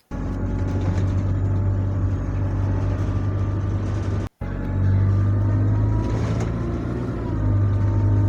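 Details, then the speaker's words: Bus diesel engine: deep drone with thin whine tracking engine RPM, from the engine-driven hydraulic power steering pump; normal power steering pump whine. "you hear that that's the hydraulic steering pump like I said before the hydraulic power steering pump is powered by the engine so that's why follows the the exhausting pitch the exhausting RPM"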